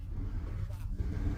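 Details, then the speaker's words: Cadillac 425 cubic-inch V8 with new Optima battery, idling after start: deep, even low rumble with no knocks or misses; purrs smoothly, healthy. "Tapi dia mendengkur seperti anak kucing. 425 inci kubik V8."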